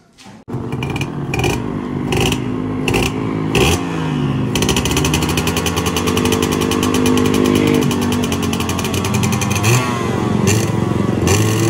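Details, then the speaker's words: Yamaha 125Z two-stroke after a rebuild with a new connecting rod, magneto checked, stock exhaust. It gives a crisp buzz revving cleanly through the gears. The rumble on closing the throttle heard before the repair is gone. A healthy engine. "Oke teman-teman, alhamdulillah bunyi yang ketika turun gas ya, war nggak ada ya, udah aman, udah enak motornya. Cuma ini tertahan sama knalpot aja, jadi knalpotnya masih standar."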